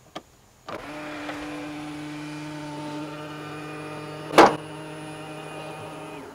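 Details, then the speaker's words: Tesla Model X, about 7 weeks old, middle-row power seat moving to give rear access: smooth motor hum, then one loud clack right at the end of travel as the trim plate hits. "when I would order to access the rear it would make that noise right at the end of the travel and yeah it definitely was pretty loud"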